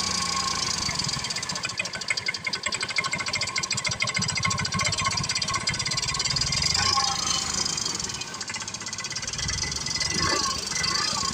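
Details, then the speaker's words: Yamaha Mio M3 scooter idling and revving with a fast rough ticking from the cylinder head; valve train noise, with camshaft and valve clearance to be checked. "Di bunyinya seperti itu ya, suara ngelitik. Jadi nanti coba kita cek dulu ya di bagian headlocknya dan di bagian nokin as, setelan klepnya kita cek ya."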